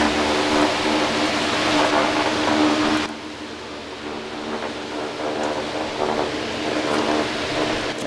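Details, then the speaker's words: New fan motor, open-mounted with no enclosure, normal startup: quick, quiet start settling into a steady even hum with propeller airflow noise, no rumble or growl; slight noise likely from the support bracket; healthy start. "as I said it started up and it it started up fairly smooth there just a little bit of noise which I think is probably just the the support B bracket holding it on"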